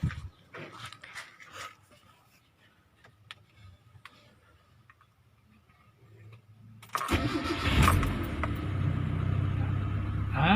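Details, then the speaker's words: Mitsubishi 4G15 after head gasket repair, fuel tank mud cleaning and separate coil conversion, radiator cap open: brief crank catching at once into even smooth idle, no misses or knocks; healthy start. "โอเคนะครับสตาร์ททีเดียวstartเดียวชึ่งเลยนะครับ"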